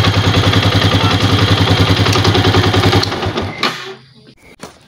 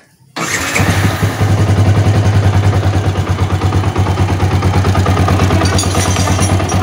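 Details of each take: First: Old Yamaha Vixion after repair of rough kletek rattle, using an aftermarket part and New Megapro piston: steady firm beat around three and a half pulses a second, no clatter, then shutdown; much smoother than the rough sound before. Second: Old Yamaha Vixion, rough clattering noise and power loss when hot: starts and settles into a harsh, clattery idle with a rough tick over every firing, knocking from the cylinder block; worn cylinder bore and piston.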